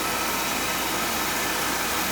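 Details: Oil furnace burner, checked on a call about an oil smell: steady, even roar with an airy hiss, no pulsing, stumbling or rumble. Burner firing cleanly after service; leftover oil on the bottom may still give some smell.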